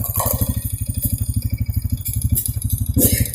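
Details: 2014 Honda Supra X 125 fuel-injected motorcycle, previously with idle rising and falling, retested after the repair: regular firing pulses at a constant idle speed with no hunting. Idle has settled back to normal.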